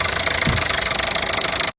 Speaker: Tiếng bơm cao áp.